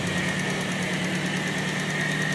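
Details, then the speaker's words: Toyota Vios that misfired when cold, after repair: a steady, even idle with a constant hum and no stumbles or dips, now running smoothly on all cylinders. "Yun oh yan na mga katamba sinino na yung andar niyo oh pantay na oh '"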